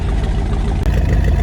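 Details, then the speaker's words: Twin-turbo V8 Toyota Corolla, first tuning session, trying to pull live data. Deep V8 idle that surges and dips unevenly instead of holding a steady beat, then smooths out; hunting idle, cause not pinned down. "Yeah, so fans, he's trying to get some live data, but the car's being all goofy with the tailbar, as you can see right here."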